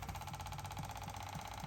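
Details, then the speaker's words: 2005 Chevy Equinox with P0455 large EVAP leak, after replacing the purge solenoid (old one made no noise): engine idling, new solenoid commanded on ticks quickly and evenly about three to four times a second; working normally. "As you can hear now. It's working. So you can see the difference now."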